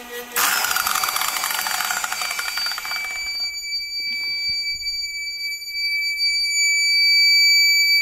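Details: TBE 2000W (4000W surge) pure sine wave inverter on a 200Ah battery trying to run a 900W circular saw: brief load surge cuts out, then a steady piercing high beep; inverter tripped on overload.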